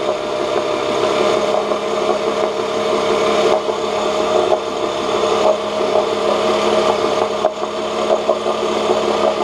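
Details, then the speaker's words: 1986 Johnson J4BRHCDE 4 hp Seahorse two-stroke outboard, stored for years, previously overheating, test-run in water after water-passage cleaning and pump check: steady fast idle, even and unbroken, no knocking; about 5 minutes in, a little hot; small known carburetor leak; runs normally. "works good. There's a little leak on the carburetor, but I know about that."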